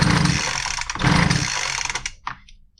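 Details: Poulan Pro BVM200VS handheld blower, spark present, dry plug, two screws tightened without success: short weak bursts that never catch and fade; cranks without starting, low compression from a stuck piston ring.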